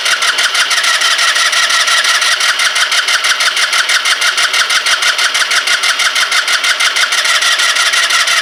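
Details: Kymco Agility 125 scooter, long unused, fuel about to be squirted down the plug hole: steady starter cranking at about three compression beats a second that never fires; no spark.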